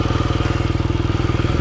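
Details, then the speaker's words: Motorcycle at idle during a pre-ride inspection: even, rhythmic low hum with no knocks, ticks or rattles; engine running normally. "So the engine sounds good. I don't hear any knocking or any wild noises, so it's a nice humming sound. That sounds good."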